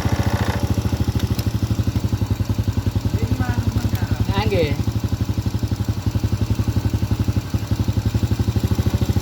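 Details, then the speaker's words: Honda Supra Grand carbureted motorcycle during carburetor jet needle clip adjustment: fast even popping idle about ten beats a second with thin hollow edge; mixture too lean from needle setting, to be changed. "ini ramping. Inilah yang disebut efisien, teman-teman. Terlalu kurus."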